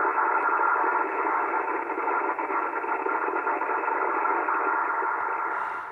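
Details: ICOM 751A ham radio with distortion on the upper bands, fed a signal-generator carrier in sideband mode. Instead of the clean, pure tone it gives on lower bands, there is a rough, hissy warble: the PLL is hunting and won't lock.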